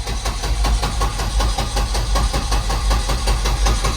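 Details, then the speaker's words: Turbo Volvo 245 at first start out of the garage, about 70°F, on a tuner-managed ECU: the engine rumbles unevenly and stumbles, barely running. Owner suspects a too-lean mixture needing startup enrichment and prime-pulse changes. Rough, stumbling running. "It's trying. Sounds like it's probably too lean."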